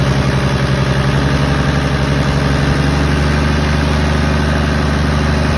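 Diesel idling unevenly, the low clatter wavering and loping rather than holding a steady beat; rough idle, cause not yet known.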